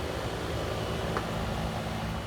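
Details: Trane AC outdoor condenser that was blowing warm air, after replacing the fan motor and a dented 45/5 run capacitor: smooth, even steady hum and fan rush with no rattles, squeals or cycling; running normally.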